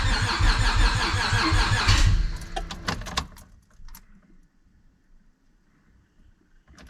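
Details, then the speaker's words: Civic with nitrous stroker V6 swap, new ECU with base map tune, battery slowly dying: about two seconds of even cranking near three turns a second, never fires. Owner suspects he needs a different base map. "I might have to get a different base map this one's getting us close but not quite there you guys we are so close it really wants to go oh we're right there so close we're like on the verge of firing up"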